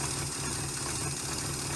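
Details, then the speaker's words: 1971 Chrysler eight-door airport car run with no coolant to heat the head and cure epoxy on a cracked block: smooth, even idle with a steady low rumble and no misses or knocks; runs good, no leak. "Fart up. Oh, runs good."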